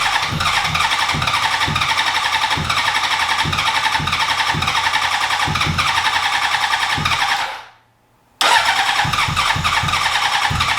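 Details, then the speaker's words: 2003 Honda CBR600RR track bike: starter spins in steady rapid pulses, stops, cranks again without catching; crank no start, 9 V at ECU, runs on starter fluid, fuel pump not pumping from ECU, cause unknown. "So it gets 9 volts to the ECU, it gets power to everything else, it cranks, it runs on starter fluid. We can't figure out why the fuel pump isn't pumping."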